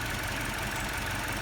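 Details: 2013 Mini Cooper 1.6 at idle with an ignition fault: faintly uneven, lumpy beat; the oscilloscope shows no ignition signal on cylinder 2, traced by earlier tests to the engine computer rather than the coil or wiring.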